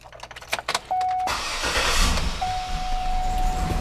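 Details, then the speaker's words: 2007–2014 GMC Yukon 6.2L V8, purge valve later found drawing vacuum when it should be closed: cranking then uneven stumbling idle with faint chime; rough start from stuck-open purge valve, before replacement. "All right, and it's starting very rough, which is to be expected."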